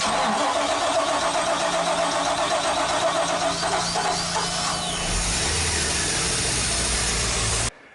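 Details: Boat marine V8 after spark plug and fuel fixes, started for a final test after priming: catches right away and holds a steady, even idle with no stumbling or hunting. A clean start.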